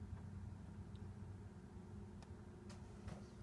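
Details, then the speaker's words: Whirlpool Duet washer with an F09 E01 error: the drain pump, tested out of the machine with no load on direct power, gives a steady low hum with no spin-up and is stalled; it sometimes starts after replugging or a bump. "in fact there i'm plugged in it's it's trying and you can hear it humming"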